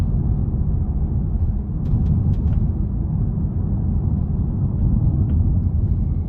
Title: Polestar 2 clicking sound when going over cracks/rough road